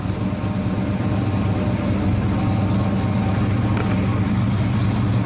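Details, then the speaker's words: 1970 Ford Mustang Mach 1 V8 with a rebuilt engine, run after sitting many years on fresh plugs, heard near the quarter panel: a lumpy, loping, uneven idle; running very rich, and the carburetor needs a rebuild. "Carburetor needs to be rebuilt. I'm not going to run it any longer because it actually stinks. It's running rich as hell."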